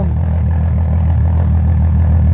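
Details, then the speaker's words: VW Golf MK2 with swapped VW R32 six-cylinder engine, swap just finished: deep, smooth, steady purr at idle with no misses or ticks, called an exciting sound; normal healthy idle. "éste posee un ruido chachi hay un ruido que se escucha excitante"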